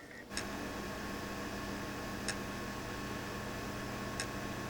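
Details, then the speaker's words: Sony PlayStation 2 slim test console DTL-H75000A reading a CD game: low steady hum with a sharp click about every two seconds; laser keeps trying to focus without locking, failing laser, to be swapped. "the laser is trying to focus but it's not having any luck so the CD based games do not work"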